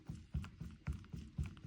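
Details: VW T5/T6 DSG driveshaft, removed, worked by hand at an angle; dull heavy clunks about four times a second from the inner (gearbox-side) CV joint, which is shot; fault was a slack felt on lifting off the accelerator.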